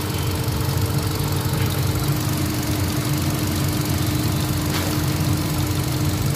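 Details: Hyundai Accent 1.4 petrol after repair of misfire and vibration (codes P0300, P0301, P0302), heard at front of engine: smooth, even idle with steady low rumble, no stumbles or shaking.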